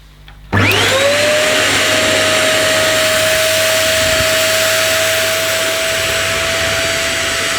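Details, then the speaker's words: One Concept Pila bagless vacuum cleaner picking up spread dirt: motor roars, then a thin whistle and sagging pitch as suction drops within seconds, a bleed or relief valve apparently cutting in; suction loss. "it started losing suction within seconds and the noise there's obviously some sort of bleed valve in here such an relief valve that's cut the suction off because it just couldn't cope"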